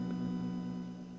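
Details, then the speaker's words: 1986 Panasonic RX-FD80 boombox: a steady low buzz with a few fixed tones in the audio output, present even while a tape plays and in other locations. Cause not yet confirmed. "and we can hit play and yeah even with the tape in you can still hear that noise"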